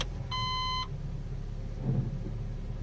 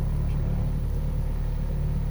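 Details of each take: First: Honda Civic with 432,000 km and a healthy engine mount, started cold and put in reverse: short beep, then a quiet, steady low idle with no rumble or knock; normal cold idle. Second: Honda Civic with failed top engine mount, idling in reverse, worse when cold: deep, steady low rumble with heavy vibration and no knock or whine, noisier than another car; fixed by replacing the top engine mount.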